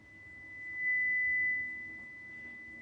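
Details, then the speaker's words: Fender Sidekick 35 bass amp after repair of the power transformer and shorted transistors, with a 2 kHz test tone swelling louder then dropping as treble is swept through boost and cut; the treble control works properly. "so then we'll take the treble you hear the boost and the cut"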